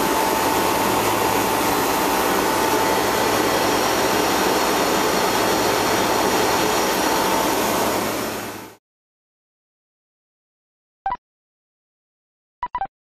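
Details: Replacement two-speed (2/4 pole) Bristol compressor, running after install with new suction line and condenser leak repair: steady even hum with fine rapid pulse for about nine seconds, then stops; normal running.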